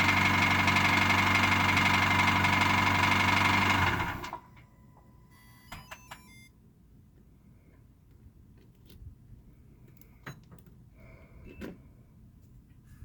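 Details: Cold engine at 2°C idling with a fast, very even light knock about four per second, then shutting off. Suspected piston slap, cause unconfirmed.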